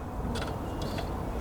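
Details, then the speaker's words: Kawasaki Ninja 650 with a newly installed fuel pump and about half a tank: pump audible, but pressing start gives only a couple of faint clicks and no cranking; battery, claimed new by the seller, suspected weak. "So it sounds like a battery issue."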